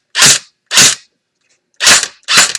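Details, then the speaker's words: Echo1 airsoft gun jammed with BB and barrel not cleared: four short, harsh grinding bursts with a sharp rasp per trigger pull, back pressure chewing gearbox teeth, likely wearing down a tooth. "hear that grinding noise that's everything back pressure and is causing more damage"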